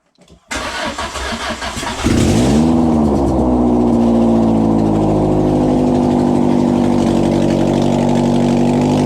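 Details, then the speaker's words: Peugeot 106 with swapped XU7JP4 engine, start after wiring harness work using starting spray: catches after about two seconds, revs flare, then hangs at a high racing idle instead of settling; cause not found. "bon il s'accélère on s'emballe et que saïd avoir un truc quelque part qui lui plaît pas"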